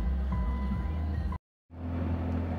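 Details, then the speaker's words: Nissan GT-R twin turbo finally started after several jump-start attempts following three weeks unused: low, steady engine rumble holding even before and after a brief dropout; normal idle. "so finally we've got the gtr started after a few attempts so i've learned one lesson and i need to drive my car more often"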